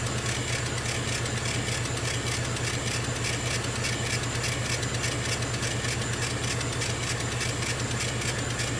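A steady, loud hiss and hum with an even low pulse and no knocks or surges; the air compressor is running normally.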